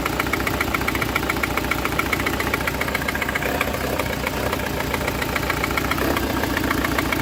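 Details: Citroen C4 1.6i with a failed ignition coil, code P1339: lumpy, uneven idle with a steady stumble, running on only three cylinders.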